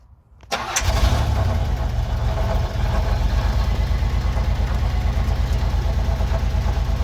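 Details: Buick Park Avenue, first start in over 8 years after new fuel lines: a short crank, it catches at once and settles into a steady, even idle with no miss or knock. The exhaust smokes, and the fuel return line is still leaking.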